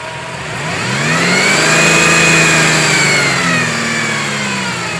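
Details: 2007 GMC truck V8 with a high, constant whine from the lower front of the engine that climbs in pitch and volume with revs; owner suspects water pump or harmonic balancer, not confirmed.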